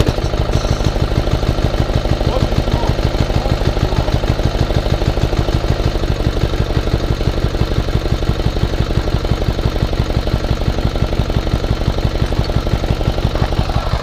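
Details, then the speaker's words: BOMAG 230 kg vibratory plate compactor with single-cylinder Yanmar diesel, pull-started with decompressor lever, during routine service: steady, even diesel thump, no misses or knocks; runs very well. "Odlično radi."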